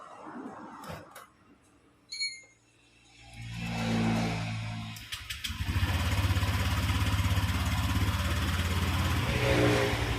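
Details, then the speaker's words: Honda Vario 125 scooter on centre stand, owner reports rattling/creaking at 80 km/h and uphill: after a few handling knocks, starts and settles into a steady, even idle with no knocks or rattles; idle normal. "OK, for the condition of the engine sound when it's idling like this, the rotation is very smooth, like a normal motorbike, no problems whatsoever, Bro."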